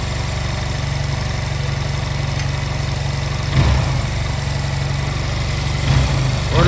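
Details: Honda Silver Wing scooter that would not start, after new spark plugs, while air and idle adjusting screws are being set for synchronization: steady, even, unhurried low thumping idle with a few handling knocks; holds idle fine, normal.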